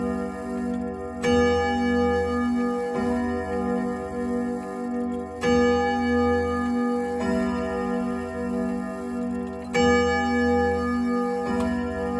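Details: Restored 1927 Junghans German grandfather clock, placed on thick carpet, possibly not level, beat slightly off: clear ringing chime strikes bloom and fade every few seconds over a steady tick; the clock strikes and runs properly.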